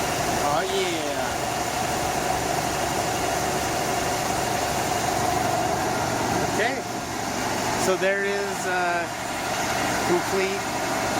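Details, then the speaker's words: 1982 Ford F-250, 4.9L 300cid inline six, just started after new spark plug wires, distributor cap and rotor: an even, steady idle throughout with no misses or stumbles, voices over it; healthy running. "here we go and there you have it sounds good let's go look"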